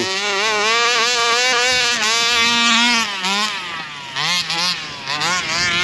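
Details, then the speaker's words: Rovan Baja 5B RC car two-stroke engine at full throttle after warm-up: high screaming note with revs wavering and dipping rather than climbing cleanly; flat top-end power, owner suspects the carburettor needs adjusting. "Sounds like it's still running a little bit flat on the top end there. Might have to adjust that carby a little bit."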